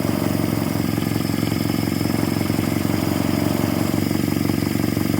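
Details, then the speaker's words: 1946 Jeep, old engine just revived, carbureted, choke out, oil pressure up, not yet warm, burning off sprayed-on residue: even steady idle with smooth mid-pitched beat, no knocks or misses; idling on its own, healthy. "No temp yet, but she is idling on her own. Burning all the yuck off of it that I sprayed on it. Wow, she sounds really good."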